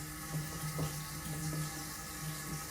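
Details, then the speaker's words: Toilet tank refilling after a Kohler silent fill valve, flow restrictor and flapper were installed, curing a squeaking, chirping noise: soft, steady water flow with no hissing or squealing. Normal quiet tank refill. "and let the tank fill. No hissing, no squealing, just peaceful, quiet water flow."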